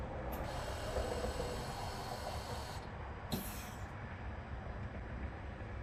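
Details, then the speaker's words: 2013 Toyota Camry Hybrid with ABS codes C1451, C1345, C1368, during a roughly 90-second step of the brake bleed procedure: a steady motor whir cuts off and returns, the ABS pump cycling as expected. "and i hear the pump coming on and off i don't have any flashing yet going to pause and come back when this about to finish"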